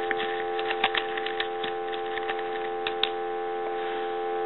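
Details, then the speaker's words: Tele Concepts telephone handset on analyzer after noisy potentiometer was dealt with: clean steady dial tone with only light tapping from handling the board, no sizzling, crackling or popping; normal handset audio. "will no longer hear the um sizzling and the cracking and the popping give you some Dow tone and then I want to take away dtone and I don't hear any of the sizzling crack and popping"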